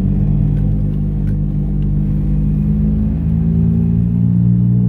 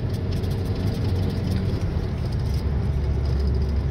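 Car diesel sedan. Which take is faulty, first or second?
first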